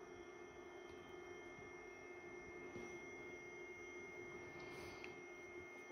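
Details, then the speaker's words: HP ProCurve 1800-24G J9028A switch with its original 40mm ball-bearing fan (TA150DC), before the swap to a Noctua NF-A4x20: a steady, high, thin whine over a soft airy hiss; not loud but annoying. "as we can hear it's not exactly loud but it's very annoying it's not like a slow hum and like it's it's noticeable enough that you don't really want to have this in your living room"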